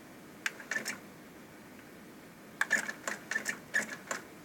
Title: Sony TC-K850ES hard start